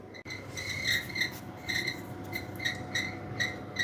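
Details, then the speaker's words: Kitchen oven fan heard from underneath during cool-down after cooking, shrill chirping squeak two or three times a second like a sick bird, whining for hours; owner suspects lubrication issue; fan squeak. "so you should be heard to hear that it sounds like sounds like a very sick bird it's been whining for hours and hours hours so it's a obviously a lubrication issue"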